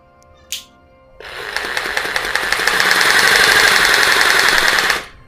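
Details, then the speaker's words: Rotary hammer in hammer-only mode with flat chisel bit, bit not rotating: rapid, even hammering at a steady rate, rising as the trigger is pulled and stopping cleanly; healthy tool. "Mode पे हमारी ये जो machine है वो हथौड़ी की तरह काम करती है और हम इससे छोटी मोटी तोड़फोड़ कर सकते हैं।"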